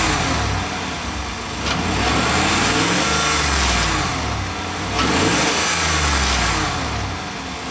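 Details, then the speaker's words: V8 revved up and down with the mic under the vehicle, chasing a clunk heard mostly on cold starts and light acceleration: a metallic rattle not following engine speed, traced to the exhaust, a loose exhaust clamp. "It sounds more like a rattle. It's not consistent with the engine rev."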